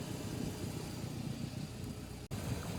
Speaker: Here you can see the boat's running fine. This is maybe 5 minutes after startup, pulling good vacuum.